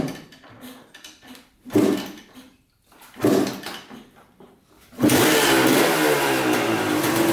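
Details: 1986 Honda CR250 two-stroke dirt bike, sat over five years: a few kicks, then it catches and holds a steady, crackly idle. Fresh oil is turning milky with coolant, and a bad water pump seal is suspected. It runs perfectly, so the owner rules out the head gasket.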